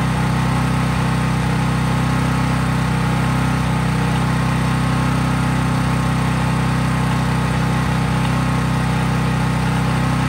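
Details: Craftsman 5000 W portable generator after a cold start, at full speed with no load; constant deep hum, no hunting, misses or knocks. Normal no-load running.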